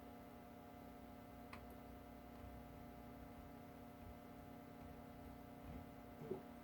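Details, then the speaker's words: 1937 Westinghouse WR-212 broadcast/shortwave radio, first power-up at about 90–100 volts; faint steady low hum from the speaker with nothing else, showing the audio stage works: normal. "I'm here in a very very tiny home in that speaker that's actually good tells me the audio is working"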